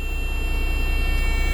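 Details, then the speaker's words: Leyland DAF T244 truck with air brakes, started after sitting so its air had depleted; steady high low-air warning buzzer over a low diesel idle while the tanks build pressure. "and that's why the buzzer are sounding right now the air needs to build back up in the town so we're going to a bit of a time lapse here and see how long it takes for the tanks to charge up"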